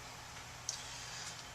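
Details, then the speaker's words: HP DV6700 laptop after repair for overheating: the cooling fan spins up with a soft, steady airy whoosh, no rattle or grinding. Normal fan operation, and the overheating appears solved. "Well, we're obviously going to let this run for a little while, and I can hear the fan kicking up."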